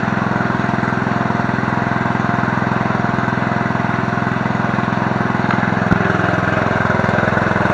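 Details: Murray riding mower, 17.5 hp, 42-inch deck, revived from non-running with basic maintenance, new blades and a replacement carb; steady even beat around three pulses a second, no misses or knocks, running cleanly.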